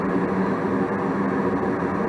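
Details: 80% single-stage Goodman gas furnace on natural gas, manifold pressure about 3.3 inches water column: smooth, steady burner roar with even low hum, no surging or popping; furnace firing normally.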